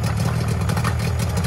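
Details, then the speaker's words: Mariner 30hp outboard on an abandoned boat, accelerator worked by hand because the linkage is broken. A smooth, steady low idle with an even beat and no knocks, misses or rattles; it sounds perfect despite a petrol leak. "nothing wrong with that mate we have actually got a little bit of a petrol leg but that sounds beautiful that little engine sounds perfect doesn't it"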